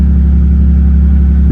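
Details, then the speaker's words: Ford Mustang at auction, running after a booster-pack jump: deep, steady rumble with even beat, no knocks, ticks or misses; oil pressure and battery voltage good, TPMS light on; runs great, normal running. "it actually runs great guys I'm I'm very shocked"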